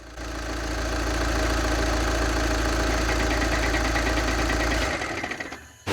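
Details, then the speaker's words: Fast, dense metallic rattle over a steady idle that goes away when put in drive or reverse as the transmission loads the flywheel; worn dual mass flywheel, not the transmission. "the way that I figured out how you diagnose your dual mess flywheel is if you hear that rattling noise and then you put it in drive or reverse, it will go away."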